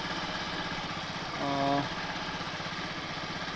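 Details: Honda Vartech scooter after refitting the repainted original exhaust with tightened bolts: small single-cylinder putters at a steady, even idle, no puffing or ticking at the exhaust joint; no leak, normal idle.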